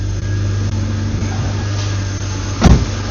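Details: BMW E36 323i Touring with M52 six-cylinder, first start after swapping on a Schrick intake manifold (fuel rail tabs cut): steady, even low idle with a smooth unbroken rumble, no misses or ticks, and no fuel leaks seen.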